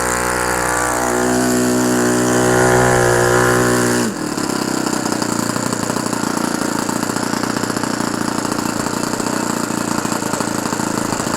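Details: OS FS-120 Surpass 20 cc four-stroke methanol model engine, fully restored with new ring, running in on a 15x8 propeller; clean steady buzz dropping to a lower even beat, no misses, mixture still slightly rich; normal running.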